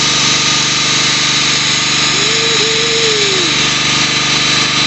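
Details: Husqvarna PW 3200 power washer that wouldn't start on year-old varnished fuel, after reassembly and fresh fuel: small petrol engine holds a steady, even drone with no stumbling, surging or misfires.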